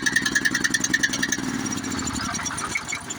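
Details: Honda GX series small engine that had no spark, after disconnecting the faulty low-oil sensor wire with oil full: steady, even single-cylinder thump about three and a half beats a second; starts and runs normally.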